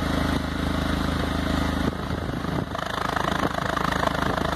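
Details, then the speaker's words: 2006 Stratus 2.0 with a power-loss misfire, after reseating the plug wires: petrol idle now steady with an even exhaust pulse, no skips or stumbles like before. "el sonido prácticamente es parejo ese aire que sale ya es parejo ya no está como hace rato"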